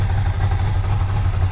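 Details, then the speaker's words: Ducati Monster 600 V-twin after fitting stock Monster 600 exhausts in place of cut-down shorties, cold with choke on: deep, even low thump at fast idle, no rattles or misfires; much quieter than before, healthy. "oh that's much that is actually much much quieter i'm really happy with that that's with the choke on because it's 789 degrees but that's much quieter"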